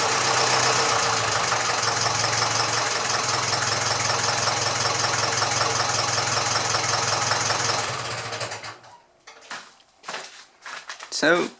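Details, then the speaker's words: Massey Ferguson 35 (835) tractor with Standard 23C diesel, first run in at least a year after a starting-fluid start: steady, even idle clatter for about eight seconds, then shutdown. It runs smoothly with some blow-by expected for its age; there is a coolant leak, likely from a failed hose clamp. "it runs runs pretty well there is a bit of blow-by can be expected of engine of this age"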